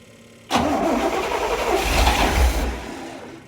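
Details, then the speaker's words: 1979 Corvette C3, L82 V8, 4-speed manual, sat 20 years, first start on starting fluid and 20-year-old gas, transmission fluid in cylinders: sudden catch then ragged, uneven running for a few seconds before fading; owner expects carburetor rebuild to fix idle. "Almost. I doubt the 20-year-old gas is gonna help."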